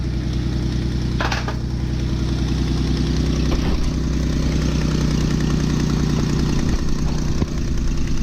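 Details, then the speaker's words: Jeep with manual transmission, first start after misfire repair with wiring reconnected; steady, even idle with no stumbles; a check engine light is likely still on with a stored misfire code. "You probably have a check engine light on, but sounds good."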